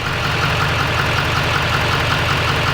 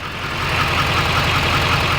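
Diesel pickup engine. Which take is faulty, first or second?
second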